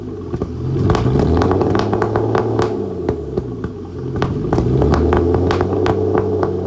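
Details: Flood-damaged Aston Martin DB9 after starting, with lots of smoke. A rough, uneven rumble broken by irregular sharp pops and bangs from the exhaust. Misfiring badly.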